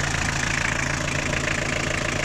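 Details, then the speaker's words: Toyota 2L 2400 cc diesel at idle: steady rapid clatter over the engine note; both the injection pump and the nozzles are faulty, and diesel is not returning properly. "इसका pump nozzle दोनों का मसला है। ये diesel इसका देखो ऊपर जो नजर आ रहा है, वापसी भी सही तरह नहीं कर रही है डीजल।"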